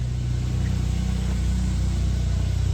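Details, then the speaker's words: 1996 Suzuki Jimny K6A JA22W RHD with aftermarket lift kit, still on cold start: revs drop back to a slightly high idle with an even low rumble, steady firing, no knocks or misses; normal cold idle. "Right back down to idle. Again, it's still at cold start, so it's going to idle a little bit higher because it's an older vehicle. But once it warms up, it will idle perfectly."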